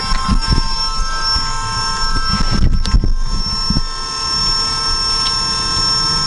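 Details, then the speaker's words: Honda Accord CB7 AWD with a Volvo electric power steering pump, system switched on after replacing a leaking hose: steady high whine over a low rumble, the pump running normally with no leaks. "that noise the winding sound is the pump"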